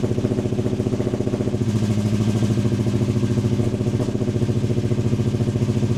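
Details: Modified Foxbody Mustang V8, first run on new custom stainless exhaust with oxygen sensor fitted, holes sealed, clamps tight: deep even burbling idle with steady lope, no ticking, hissing or rattles; normal idle.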